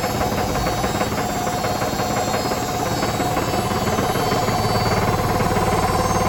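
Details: Hotpoint BHWMXL145 washing machine at high spin on a test spin. Heavy rapid pounding, about four thuds a second, as the drum hammers loose. Two drum spider arms are snapped.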